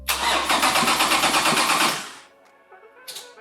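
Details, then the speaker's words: Toyota 2GR V6 swapped into an MR2 Spider, first cranking during initial system checks with the wiring not yet verified. Even, quick cranking beats of about three per second suggest high compression. "It feels good just to hear her crank. That sounds like Yes. high compression."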